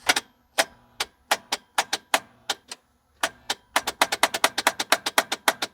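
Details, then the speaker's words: 1950 Chrysler DeSoto flathead six, 6-volt positive-ground system, key-start attempt: sharp dry clicks about four a second, speeding up, no cranking; unclear whether the starter or low voltage is at fault; starter clicking. "okay we got clicks more than nothing do I dare try and boost it on 12 and see if it spins"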